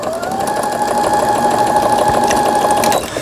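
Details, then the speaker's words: Brother Innovis 10 sewing machine after needle bar and auto-threader repair, starting straight stitching on fabric: steady even whirr at one pitch, no knocking or catching; normal stitching. "폴리를 몸쪽으로 돌려서 바늘을 꼽았습니다. 이때 박음질을 시작하는 거예요."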